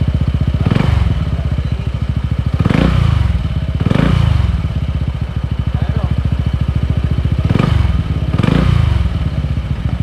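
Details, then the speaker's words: Honda PCX 160 scooter after fitting Honda Click 150 slider pieces in the CVT, previously scraping noise near the pulley: steady low idle, briefly revved, no belt-drive rattle; normal CVT idle. "nawala yung ingay niyo doon sa may malapit sa pulley natin na wala"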